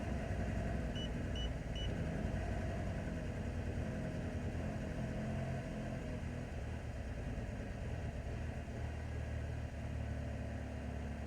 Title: Can Anyone Tell Me What is Wrong With My 2004 Cavalier LS Sport 2.2 Ecotec Rough Idle and Surging